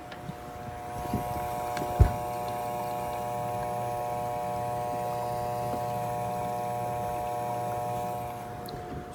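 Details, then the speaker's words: Bosch dishwasher hums but will not start: steady low electrical hum, no spin-up, wash motor stalled because its start capacitor is blown. "this noise and the kids that the wash motor is trying to run but it cannot run because we have a blown capacitor on it"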